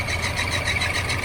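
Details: 1981 Chevrolet Silverado V8 at idle after power steering pump work: rapid warbling high chirp pulsing several times a second, belt squawk from a wobbling pulley; suspects harmonic balancer, AC compressor or alternator, and notes timing off.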